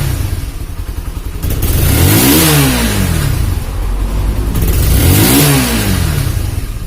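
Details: Honda CB150R after a head compression leak sprayed radiator coolant and the engine was removed, rebuilt and refitted. Two clean throttle blips that rise and fall smoothly with no misfire, popping or knock. The engine now runs smoothly.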